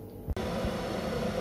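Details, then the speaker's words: British Gas 541i condensing boiler (a Worcester) after the ignition electrodes were replaced. A sharp click, then a steady, even rush of fan and burner with no rumble or banging; the burner lights and fires normally. "can see we've now replaced them and the boiler is fired up so the burn lights on you can hear the fan increasing"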